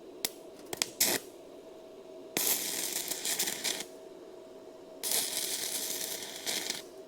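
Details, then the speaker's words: Bestarc entry-level gas-less MIG/stick welder running stick rod at too-low amperage: short crackling bursts start and die out instead of a steady sizzle; arc starved of current, raised to 80 then 90 amps. "So that's not quite enough amps. Let's go to 80."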